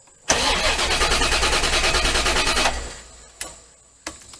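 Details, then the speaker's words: 1990 Chevrolet Corvette C4 parts car: steady fast starter cranking over two seconds with no firing, then key released; the test light stays lit while cranking, confirming a bad electric fuel pump not delivering fuel. "as you can see, it came on while I was cranking it. So we know now that what's wrong with this C4 is it has a bad fuel pump."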